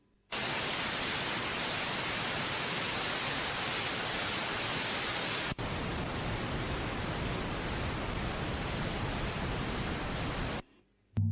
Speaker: Hear how nice that boof ting was. And that's the difference that lubricating the tape made.